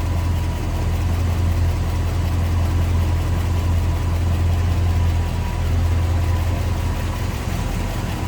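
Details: 1956 Ford F100 step-side pickup V8 with what looks like a Holley 4-barrel carburetor and dual exhaust, engine bay open: steady, even low rumble with no knocks, misses or ticks; old V8 idles smoothly and healthy.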